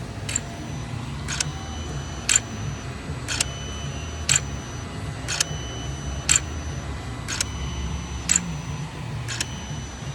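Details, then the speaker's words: 2016 Hyundai Sonata 2.4, code P200A intake manifold runner performance bank 1: VCM runner motor commanded by scan tool, key on engine off, clicks about once a second with thin squeak instead of quiet; worn motor, likely replaced. "so you can actually hear it squeaking a good bit um that's not what it's supposed to sound like it's supposed to be pretty quiet"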